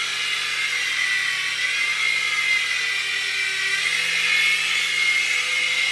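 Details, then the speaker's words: U809 Air Attack toy helicopter, fitted with a new LiPo battery and with its motor pinion gears super-glued after they slipped on the shafts; steady high motor whine and rotor buzz at an even pitch in flight. Normal flight. "wow success we've got a working helicopter"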